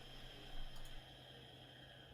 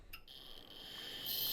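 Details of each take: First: Quantum ProDrive ELS 170MB IDE hard drive: faint steady spin hum with no seek/initialization chatter, spinning down to silence before a sharp click while computer still runs; stuck actuator arm. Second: Quantum ProDrive ELS 170MB IDE hard drive, opened, after freeing the actuator arm and parking brake: thin high whine of spinning platters with light head-seek ticks; normal start-up initialization, before things went wrong.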